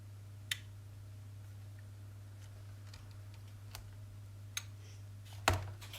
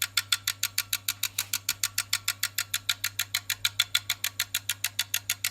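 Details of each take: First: Tenda smart plug after replacing a swollen failed electrolytic capacitor (previously just clicked repeatedly, no power or Wi-Fi): over steady mains hum, a single crisp relay click when switched, no chattering; relay switching cleanly. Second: yeah that's all it does No Light No nothing just click click click click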